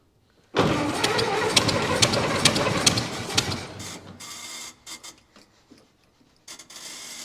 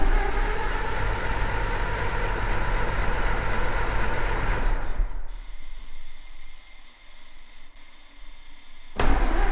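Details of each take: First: 1924 (also called 1925) Ford Model T, unrun for many years, primed three times, choke off, ignition on battery, wheels off ground: starter churns about three seconds with no firing, then stops and rattles; cranks without starting, flooded plugs. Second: 1924 Ford Model T, not run in many years, first start-up after starter refitted: low chuffing idle stops, then fires back and settles into steady, even run; runs but crew thinks choke needs leaving more open and timing adjusting.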